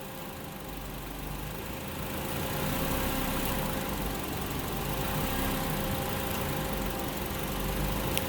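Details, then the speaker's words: 2007 Honda Accord, 2.4 L K-series engine, automatic, at idle with the bad AC compressor relay bypassed: faint click, then the engine note deepens as the compressor kicks in and cycles on and off; normal AC compressor clutch cycling. "Basically, that is how you diagnose a bad relay and confirm that you have a compressor that is kicking in and an AC system that is working."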